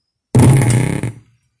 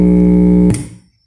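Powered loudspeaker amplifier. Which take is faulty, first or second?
first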